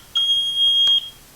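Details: Kidde carbon monoxide detector still beeping every 30 seconds after a new battery; as the battery snaps into place, a single high chirp just under a second long sounds, the detector powering up normally.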